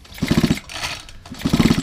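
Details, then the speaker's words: Non-starting, fuel-leaking hedge trimmer, with the spark plug out and the switch turned off: two quick recoil pulls of fast chuffing that never fire. It cranks without starting and has no spark. "Ah, no spark. That's interesting."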